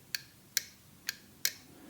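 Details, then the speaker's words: Honda Grom starter relay, removed and bench-tested by applying battery power: four sharp, crisp clicks about half a second apart as the internal switch closes; relay switching normally. "that click is a little switch inside the relay turning on and activating these two poles on the top"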